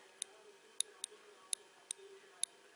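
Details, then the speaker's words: BMW R1200 GS front brake lever micro-switch, opened; it is normally closed but now gives no contact, only sometimes working, causing no servo brakes and the brake light staying on. Sharp, irregular clicks: switch clicks mechanically but is faulty. "The switch is still making noise, but somehow it doesn't give any contact. You can hear it click,"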